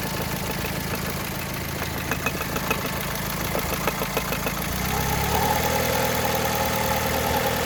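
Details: Engine idle: light quick ticking, about three per second, that slowly gets louder, heard only at idle, with no noise while driving; owner fears a rod bearing failure, unconfirmed.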